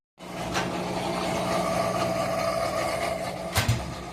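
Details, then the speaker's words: Whirlpool WTW4816FW3 top-load washer bought 2023, control board replaced three times, after a finished cycle: steady low motor hum with a thin whine. Nothing is moving, no lights, and holding the button or opening the lid doesn't stop it. "Not running, but it's making a lot of noise."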